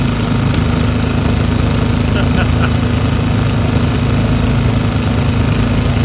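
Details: Old Briggs & Stratton single-cylinder petrol engine rescued from the trash, running after opening the carburetor needle valve; steady even chugging, smooth enough to hold with one hand, no misses or knocks — healthy normal running.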